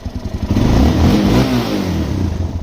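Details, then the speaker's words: Suzuki LTZ400 single with a Chinese replacement carburetor, fuel screw set a half turn out and idle lowered: it blips up smoothly and settles to a steady idle with no popping on the overrun. Fuelling is correct. "you don't hear that slight popping at the back end so I think we got it pretty good"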